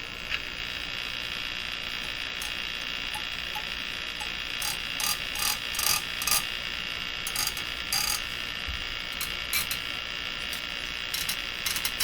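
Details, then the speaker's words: Crosley Moffat G-165 five-tube radio after three capacitors replaced, constant hiss with irregular sharp crackle bursts, heard when the tuning capacitor is turned fast but not slow; owner suspects bent plates; source not found. "the radio's consistently crackly. Where's that? Right in here. Can't hear it when you do it slow, hear it when you do it fast."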